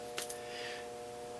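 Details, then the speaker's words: HP bench power supply buzzing as it feeds a boost converter in a negative-resistance demo: input dropped from 20 V to 10 V and supply current rose to about 3.5 A; a faint, steady fixed-pitch transformer buzz under heavier load. "you hear the HP kind of buzzing because it's putting out a little more Kurt now"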